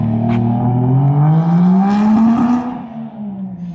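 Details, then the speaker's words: Nissan 240 street car with turbo 1JZ, mass airflow sensor given a borrowed 5-volt reference after a MAF code, on a test drive: note climbs under load then stumbles into a choppy stutter as boost builds; breaking up under boost, cause unconfirmed. "definitely still breaking up."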